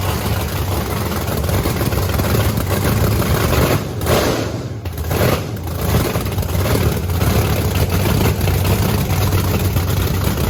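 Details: Blower Camaro on methanol, revving: loud, deep, continuous V8 roar with blower whine, strong and even through revs with no stumble; normal running, just before it ran out of fuel.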